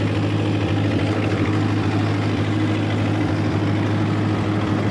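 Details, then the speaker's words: John Deere 2010 tractor on test run after PTO gearbox repair (damaged intermediate-gear pin housing welded): steady loud diesel drone with even low throb, PTO engaged, no knocking or grinding, running very smooth. "sounds fine to me the tractor runs loud anyway I couldn't hear anything it seemed to be running very very smooth"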